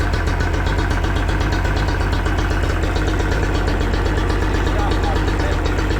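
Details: Yamaha 40 hp two-stroke outboard at idle: uneven, lumpy low idle with stumbles and skipped firings, blue smoke and unburned fuel; it cuts out or bogs under load. Misfire traced to cracked fuel lines and weak spark plugs.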